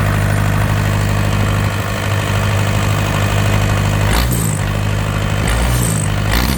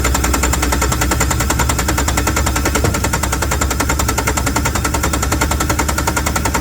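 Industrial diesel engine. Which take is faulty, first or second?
second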